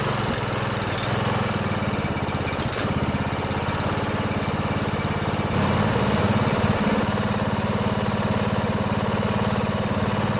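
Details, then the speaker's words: 16 HP Briggs & Stratton single-cylinder OHV riding mower engine after valve adjustment, running on choke; steady even smooth thump, slightly fuller on choke; much better, normal running. "much better let's put on some choke see what happens"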